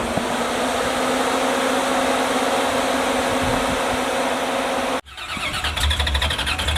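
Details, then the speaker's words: Cody Smith Motorsports Oldsmobile Cutlass race car on a Holley Terminator setup, running a fresh tune file: deep, steady V8 idle with an even rumble, no stumble or misfire, sounding much better and healthy. "that sounds a lot better that's better looks like you had it figured out"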